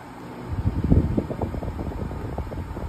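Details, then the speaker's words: Hisense portable air conditioner running with swing on and the compressor kicked in: soft, steady low blower whoosh with gentle fluttering pulses and no rattles or squeals. It blows cold air, so the fan and refrigeration are working normally. "it's running really nice you guys can hear the motors running and the compressor has kicked in so you can tell that this unit is blowing really nice cold air"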